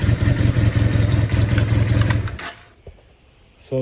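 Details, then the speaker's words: 1987 Honda CB450S with swapped engine, previously no-start due to faulty starter motor and weak battery: after warming up and recharging, fires and settles into even, steady idle with no knocks or misses. "now she did warm up little bit and recharge the battery and now she starts like this which is really good"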